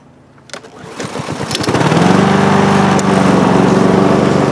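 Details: Lawn mower after recoil starter repair, pull string shortened about three inches to cure dragging; a couple of rope pulls, catches and settles into smooth even run with no stumbling; normal running.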